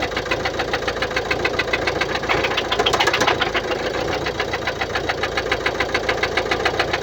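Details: 2016 Mercedes-Benz Vito 639, OM622.951 1.6 diesel (1598 cm³, 84 kW/114 PS), 237,870 km: steady diesel idle with a fast, even tick about three to four per second; suspected defective hydraulic lifters, not confirmed.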